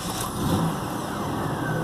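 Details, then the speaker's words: 2002 Pontiac Grand Prix that cranked without starting for four weeks, fixed by bypassing the Passkey III anti-theft wiring: engine catches and settles into steady even running, no misses or knocks. "but yeah now it starts and runs is fine"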